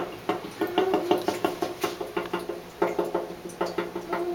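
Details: Carrier AC unit makes uneven bursts of hollow banging, about three a second, only with the fan on AUTO and the outside temperature over 80. It does not occur with the blower running constantly. Cause unknown.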